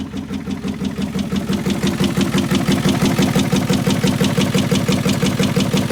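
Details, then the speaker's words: 1986 Ford F350 6.9 diesel, started by a pickup pulling a strap wrapped around the crank, with heavy smoke and suspected crankcase pressure: a hard metallic knock nearly three times a second at fast idle over the diesel clatter. Thrown connecting rod. "well it was running I'm going to say that's not a good way to run but it did run lots of smoke lots of noises I'm going to say that did not sound like good running"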